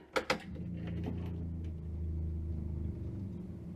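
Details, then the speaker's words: Hillman Imp "Hilda" with a Citroen Saxo VTR engine, off the road two years, fuel just added: two sharp clicks, then the electric fuel pump hums and slows after about three seconds as pressure builds; normal prime. "there we go i can hear the pump slow down yay"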